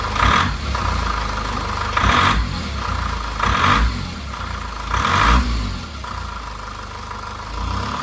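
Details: Rough idle with throttle around 2% TPS: steady low hum broken every second and a half by a louder, harsher surge.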